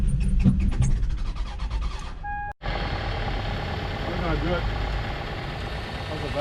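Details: Abandoned Toyota Sienna, rain-exposed engine reassembled, cooling plumbing not yet connected, on jump start: a few choppy cranking turns, brief pause, then catches and settles into a steady, even idle with no knocking.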